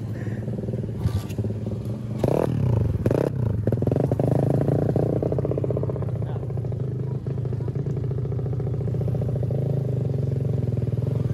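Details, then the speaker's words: Supra motorcycle with Daytona single-cylinder engine on its first road test: a few rough catches and clatter, then a fast steady putter. Reluctant restart after stalling on uneven road with a sudden clutch release; owner blames restarting with the bike tilted. "Tadi bisa dilihat motornya tuh mati. Nyalainnya juga tadi agak sedikit susah karena kondisi gua nyalanya tuh agak miring, sorot dulu."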